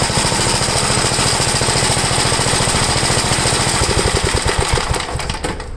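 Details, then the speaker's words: 1962 Gravely L/LI walk-behind tractor, single-cylinder, warmed up, after valve adjustment and with low compression readings (about 45): carburetor high-side adjusted; quick popping with a slightly uneven, loping beat fading at the end; leaning further stalls it, so left as is, seeming slightly rich. "if i lean it out any more than that it will stall but this has a little it seems like it's a little rich but i have to leave it that way for now"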